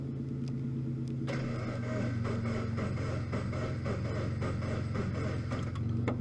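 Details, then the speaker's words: Salvage Scion FR-S, first start attempt in neutral with clutch in, check engine light on: steady starter churn at about four even beats a second, never catching or firing; cranks fine but fuel gauge below empty, out of fuel. "So here I am trying to start, and I realized that the gauge literally says less than empty on gas."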